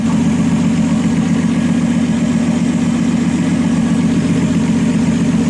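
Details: RB26-swapped Subaru WRX with new oil cooler, relocated oil filter and Mishimoto radiator, warm around 166–167°F during leak check; steady idle with uneven stumbling beat and faint irregular skip every few beats; idle misfire, cause unconfirmed.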